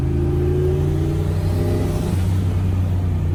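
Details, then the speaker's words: Turbo C10 truck V8 after resurfacing warped heads, valve job, and clearing fuel injectors whose top screens were plugged with tank dirt, causing misfire and fouled plugs: steady, even rumble picking up smoothly on throttle blip, no stumble; misfire fixed. "so wow this thing works dude look at this oh i fixed it"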